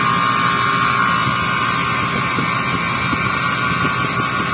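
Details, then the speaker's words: Freezer not cooling, manifold low-side gauge not dropping after start: loud steady droning hum with high buzz that slowly grows; compressor runs but isn't pumping, something suspected broken inside. "কম্প্রেসারের সাউন্ডটা আপনারা লক্ষ্য করেন আর ধরে দেখেন একটু নিচে যাচ্ছে না। কম্প্রেসারের সাউন্ড আস্তে আস্তে বাড়তেছে।"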